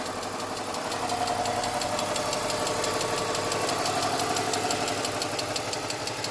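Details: Salvage German car with 152,000 miles, revived after a battery fix, idling: sharp regular tick about three per second from the back of the engine bay; owner suspects an exhaust leak, not confirmed.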